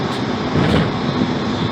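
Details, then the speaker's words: C4 Corvette driven with the windows down after braking and turning: steady road and wind rush with no rhythmic thump; the previously loud thumping noise is gone and there is no vibration. "So we got no thumping noise. I got the windows down, so sorry about the wind noise, but just so you guys can hear or not hear that we've got it fixed."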